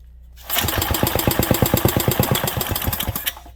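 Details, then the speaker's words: 1967 Briggs and Stratton 6 hp engine, low compression: catches on primer shot and pops unevenly about three seconds then cuts out; not picking up fuel though float bowl full, float bowl nut hole suspected overflow — fuel starvation. "it's not picking up fuel that's full"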